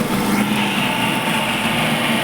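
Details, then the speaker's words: Maruti Eeco after belt tightening, AC compressor on: steady, even idle with no squeal or chirp from the belts. The belt noise problem is fixed and the engine sounds healthy. "कहीं से भी कोई आवाज नहीं आ रही है सही और हमारी गाड़ी अब सही हो चुकी है"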